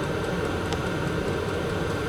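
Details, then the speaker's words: VEPAX DD53 Pro diesel heater in a garage as it kicks in. Steady, even whir and hum with a constant fan note and no surging or rattles; running smoothly. "You can definitely hear it kicking in now. So I'm gonna let this run for 20 minutes and come back to you and let you know what the temperature's got to."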